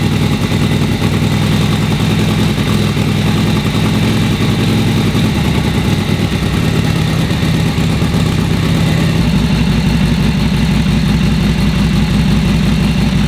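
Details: Vintage V-twin motorcycle after winter storage, started from full choke on a flat battery: steady, even V-twin beat at idle with no wet squelching from crankcase oil or knocks; engine runs clean and healthy.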